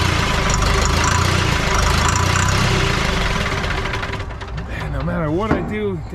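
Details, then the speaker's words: 1984 Lull Highlander 3 model 622 telehandler, four-cylinder diesel, sitting about 20 years: cranks, catches briefly with wavering revs, then dies despite throttle work; suspected air in the injection pump or high-pressure fuel system, not confirmed. "this injection pump i can't get it to stay running working the throttle back and forth and everywhere else i got air into the high pressure fuel system didn't have to bleed the lines"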